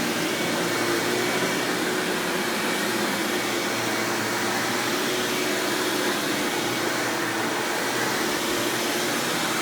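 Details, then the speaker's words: 1997 Hoover Dirt Finder Power Drive self-propelled upright vacuum, model U6331-930, Elite style, running: steady, even motor roar with smooth airy hiss, no rattles, surging or belt slap; exceptionally smooth, surprisingly quiet, normal running. "all right as you can see this thing runs exceptionally smooth surprisingly it's pretty quiet for what it is"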